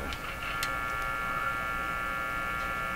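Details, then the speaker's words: Crosley G2465 two-band radio during paper capacitor replacement, volume full: steady fixed-pitch low buzz under audio; owner suspects mains hum from unshielded early audio stage circuitry, unconfirmed. "I'm really quite convinced the hum is coming from unshielded circuitry in the early audio stages of the radio"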